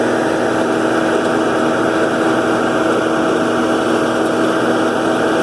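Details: New Holland Roll-Belt 450 baler pulled by a John Deere 4440 tractor while wrapping a bale: loud steady droning clatter over an even engine note, normal baler operating noise.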